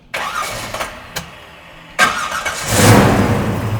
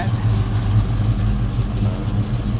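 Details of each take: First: 1969 Chevrolet Chevelle V8 with a newly installed FST Billet X-treme carburetor, first cold fire-up: a few short cranks, then it catches cleanly and settles into a smooth, steady idle, slightly high; normal start. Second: 1969 Chevelle V8 with big cam and a newly installed FST Billet X-treme carb, warming up at about 900 rpm idle: lumpy, loping, slightly lazy burble; a little rich, to be leaned about half a turn on the primary mixture screws.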